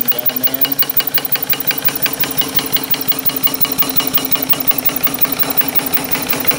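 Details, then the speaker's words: Small steam engine fed by a wood/coal-fired 16 x 38 in copper-tube boiler holding about 90 psi (pop-off 125 psi), 8 in flywheel: quick, evenly spaced exhaust chuffs, steady beat without misses or knocks; normal running. "It's been running here for a while, holding pressure at about 90 pounds. Looks good."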